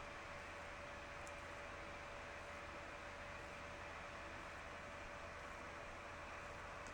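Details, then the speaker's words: Mini heater fan on high: soft, steady airy whoosh with a faint constant hum, no rattles, ticks or wobble; fan running normally. "It's not offensive at all. It's a very low pitch, gentle breeze sound. I don't object to it at all. It's more like a quiet library or a whisper."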